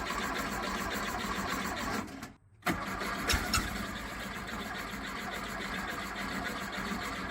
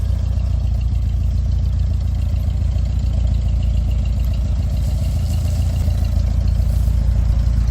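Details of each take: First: 1969 VW Beetle air-cooled flat-four, not running for months, after carburetor install: cranking catches and stumbles after short gap, then rough ragged run; timing light shows intermittent spark, suspected coil, rotor, distributor or points; hard start. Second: 1969 VW Beetle air-cooled flat-four after overhaul and Solex carburetor rebuild: even steady putter about 214 beats a minute, no misses or stumbles; best it's run since overhaul, normal running.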